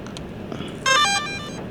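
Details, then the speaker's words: DJI Air 2S drone powered on after repair of its gimbal and broken front motor arm: a short rising chime of clean power-up tones, with no grinding or stutter from the gimbal motors and no error. Normal startup. "The gimbal is no problem. All powerful There is no error."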